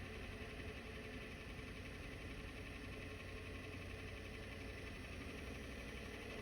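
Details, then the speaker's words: Diesel truck with a newly installed ZF5 manual transmission, idling at a stop sign: steady idle with a constant dry clatter underneath, not tied to the firing beat. Gear rollover rattle from the gearbox. "Y'all are in for a treat when I hit the stop sign because You're gonna hear the worst gear rollover noise you'll ever hear in your life."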